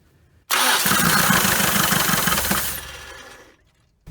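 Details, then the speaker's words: 1980 Dodge Colt Challenger (Mitsubishi Galant Lambda) cranked after the rebuilt carburetor was installed and the float bowl filled: steady cranking for about three seconds with no firing; the throttle was stuck closed, probably hitting the gasket. "oh damn throttle was stuck closed I guess it was hitting the gasket or something"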